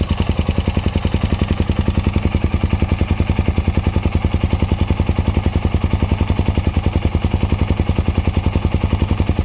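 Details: Hot Honda Dominator NX650 RD08 single at idle: a light click from the cam chain area in time with each beat, still there after replacing the cam chain, tensioner, spring, bolt, cam and rockers. It stops when the bike tilts right; the owner suspects the cam chain guides.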